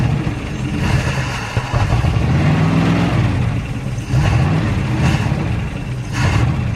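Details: Derelict Dodge D150 pickup fired up after sitting for years, with battery and ignition hooked up, fuel poured in and the fuel line disconnected because yellow scuzzy fuel is coming out. It catches and runs unevenly, rpm surging and sagging every second or so with stumbles: rough idle.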